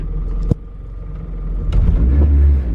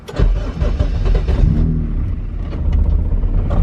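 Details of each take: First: See how it gets really loud and rumbly? I don't know why it was quieter in the wagon, but it's louder in this car. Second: Car running a B-series throttle body with no idle air control valve and a Vibrant resonator, on its second start since the dyno: short crank, catches on the second try, then a smooth, even idle; normal start and idle.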